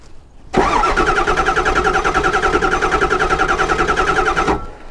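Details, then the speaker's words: Ford 7.3 Powerstroke V8 diesel, start: catches and runs with a lumpy, pulsing beat near three per second that keeps stumbling, speeding up through a couple of cylinders, not firing on all eight. Engine misfire. "I can hear it just kind of skipping along there not hitting on all eight perfect"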